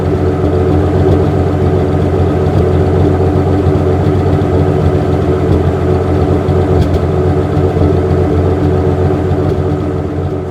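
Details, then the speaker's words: 1963 Ford F100, after timing, mixture and manual choke adjustment and swapping to a new plastic fuel filter that cured stalling: smooth, even idle with steady low rumble, no stumble or misfire. "With this new plastic one I've got on it, it is running like a dream."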